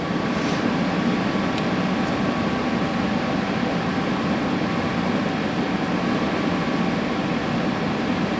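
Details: Dometic RV furnace on the bench after reinstalling the sail switch bracket and positioning the unit so the fan doesn't rub. Smooth, even blower hum with a faint steady tone and a few light igniter clicks; the fan runs clean, gas line not yet connected.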